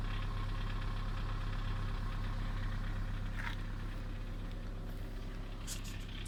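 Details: Kia Sorento 2 at idle: dull, even knock about three per second riding under the engine note; engine knock, source unclear.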